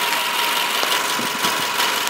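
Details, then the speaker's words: 2010 Subaru Forester 5-speed, 4-cylinder boxer, engine bay: quiet, steady hiss-like idle with even tone, no belt squeal or knock; normal idle. "It's in very, very good shape. Engine sounds like your typical 4-cylinder boxer Subaru engine."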